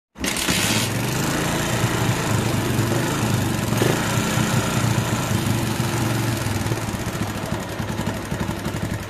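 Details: Yamaha Jupiter MX liquid-cooled single at idle: rough clattery idle with uneven rapid ticking over the small engine; loose top end from a worn rocker arm.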